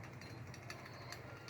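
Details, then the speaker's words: Honda PCX rear clutch bearing cracked apart: quick uneven metallic clacking over the running drive, owner blames it for the frequently snapping belt; fixed by replacing the bearing. "ยินเสียงนะครับน้ำเสียงมันจะดังแก๊กๆแล้วก็อันนี้เวลาเราบีบนะครับ"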